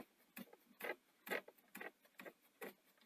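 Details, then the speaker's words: Sony SL-C9 Betamax, front loading system down but not lacing after eject: light slightly uneven ticking clicks about twice a second as the loading motor drives; suspected broken plastic or popped-out gear breaking the link. "well i suspect either a bit of plastics broken gears popped out from another gear so the link between them is is broken"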